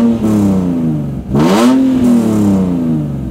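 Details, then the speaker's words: Lemons race BMW six-cylinder revved with new stainless steel full-length headers replacing the too-quiet stock exhaust: loud raspy blips rise and fall cleanly, pitch smooth, no knocks or misses; healthy engine. "so that sounds really good and how we did this was we got stainless steel ful length headers"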